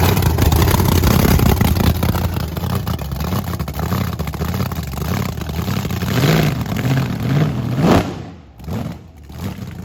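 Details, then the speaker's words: Blower V8 Camaro burnout on brand-new tires: hard revving with uneven juddering thumps as rear tires grab and release; bad wheel hop every time throttled, suspension needs locking down to avoid destroying parts. "dude look at how bad it's wheel hopping every time you whip it is one of wheel hops yeah we gotta do suspension"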